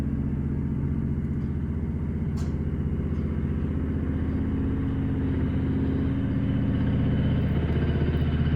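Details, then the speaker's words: 1968 Bolens Husky 775 garden tractor with hydrostatic drive, swapped to a Hatz 1B30 single-cylinder diesel with new exhaust, first drive outside after a long time: even deep thumping pulse holding steady while driving; normal running. "her first time outside after a long time her new exhaust sounds good let's take her for a"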